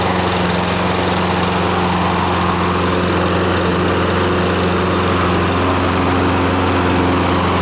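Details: Free lawnmower after cleaning debris so the governor moves freely: steady, even engine drone at constant speed with no surging or hunting; the governor holds speed and it runs healthy.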